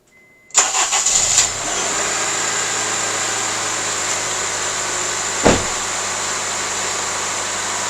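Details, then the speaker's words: Honda CR-V with intermittent fuel pump relay problem: after grounding the relay's negative terminal, brief crank, catches at once and settles to a steady even idle; runs fine, no check engine light, scan tool shows no codes. "runs fine there's no check engine light there's nothing wrong"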